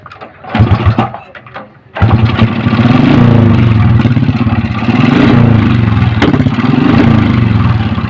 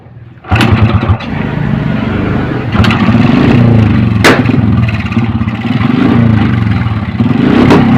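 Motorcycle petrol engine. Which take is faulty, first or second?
first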